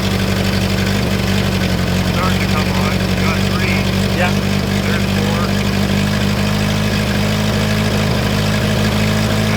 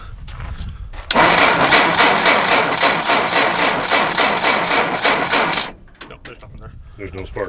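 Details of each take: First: 1960 Jeep CJ, first cold start in years at about minus 30 on a new battery; steady, even low idle with an unchanging beat and no knocks or misses. Normal idle. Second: 1960 Jeep CJ, first start attempt in years: starter churns the engine evenly, about four turns a second, for several seconds without firing. Spark check shows no spark; dirty, rusty ignition points suspected.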